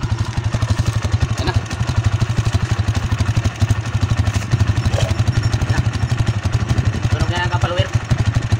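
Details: TMX 155 single-cylinder motorcycle idling right after a tune-up with valve clearance set: even steady thump about four beats a second, no valve tick audible over street noise, only slight residual clatter; healthy idle.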